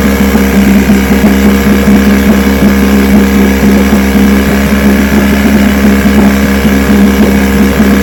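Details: Vintage two-stroke outboard, restored then repaired, 5-minute run, started after extra primer pumps; loud, even drone holding steady speed with no misses or knocks, ran good.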